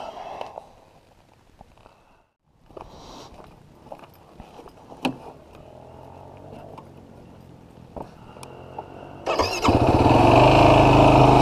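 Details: 2016 Yamaha YFZ450R SE quad after adjusting throttle position sensor to 0.81 so ECU adds fuel: a few clicks, then the single starts much faster and pulls strong and clean, bog pretty much eliminated.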